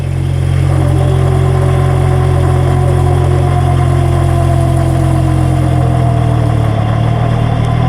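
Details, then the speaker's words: Differential recorded with a mic near the housing under acceleration: heavy low drone with rising gear whine and rough rumble; one or more damaged ring gear teeth, and the vehicle should not be driven. "Este es el sonido que hace cuando uno o varios dientes de la corona están dañados."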